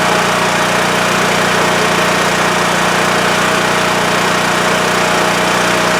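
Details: WEN TF1450X 14500W tri-fuel generator after repair of a fault where it ran 20 seconds then shut off losing spark: loud, steady constant-pitch drone without dipping or cutting out; runs normally past 20 seconds, display reads 232 volts.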